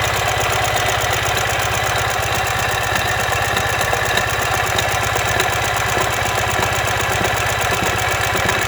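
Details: 2015 Ural Ranger at idle: a heavy, steady knock at about 160 per minute, deep in the bottom end, caused by a collapsed front crankshaft main bearing.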